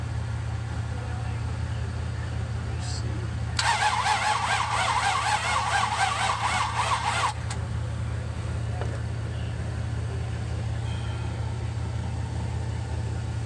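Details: 1966 Buick Riviera GS with rebuilt heads, jump-started, starter fluid sprayed into the carb: the starter churns steadily for about four seconds over a low hum and the engine never catches, a crank with no start. The carb gives a backfire spit on starter fluid.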